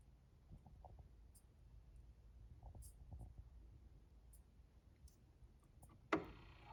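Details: Pioneer PL-L800 turntable: faint, irregular clicks over a low mechanical rumble, ending in one sharp knock.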